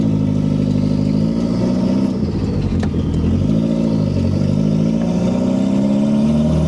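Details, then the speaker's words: Second-gen Toyota MR2 with a JDM 3S-GTE turbo swap, driven after a boost/vacuum leak fix with only a turbo downpipe and no muffler: loud, raw turbo engine pulling smoothly with no misses or knocks, high idle noted; normal running. "so everything's running right it sounds good it would sound much better with an exhaust"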